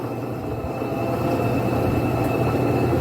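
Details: Electrolux LT15F 15 kg washing machine after bearing replacement: smooth steady low hum building as the drum spins up, with no knocking or grinding. The earlier loud iron-dragging roar during the spin cycle is gone.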